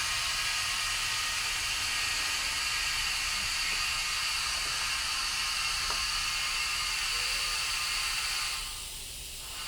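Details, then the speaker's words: Steady high-pitched hiss from the overpressure relief valve of a Subsalve EFB-500 enclosed flotation lift bag being reinflated with an air manifold for draining after use, venting excess pressure so the bag doesn't rupture; normal operation. "So what that you hear that's still hissing is the overpressure valve. It's designed to vent pressure at a certain point so that it doesn't rupture the bag."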